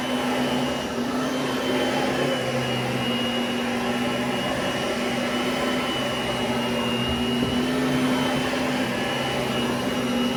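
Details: Oreck XL21 upright vacuum after replacing a busted fan chamber and fitting a new belt: steady, even motor roar with a constant high whistle, no rattles or surging. Normal running.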